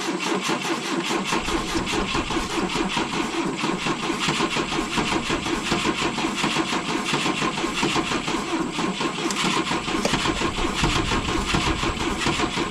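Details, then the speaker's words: 1972 Volvo 145 on rigged fuel with vacuum ports plugged: long, steady starter churning for over ten seconds with no firing or catch; hard start because plug wires were disconnected. "That ran like trash, though. That would be why. No wonder it was so goddamn hard to start."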